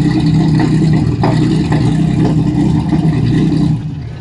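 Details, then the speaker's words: Lexus SC300 with everything connected except one connector: uneven, lumpy idle with occasional sharp pops through the exhaust; misfiring and backfiring, cause not yet clear. "c300 rough idle everything connected except for one connector right here this is how it rocks there you go backfiring a"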